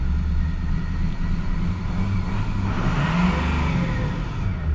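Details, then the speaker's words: 6.0L Powerstroke diesel truck diagnosed for a P0299 turbo underboost code, revved from idle: the rumble climbs smoothly and settles back without stumbling, surging or rattles; revs up normally. "now we're going to rev it up and I'm going to show you guys what happens when I give it a little bit of throttle and we're also going to see if the truck actually revs up nicely"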